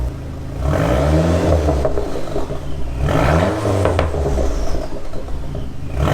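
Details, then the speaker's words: Car with a newly installed Vibrant Ultra Quiet resonator, revved while warming up: a smooth, even exhaust note that swells cleanly with each rev and settles back down, with no rattle or drone; almost the same as the previous muffler. "I would say it sounds almost the same as the last muffler."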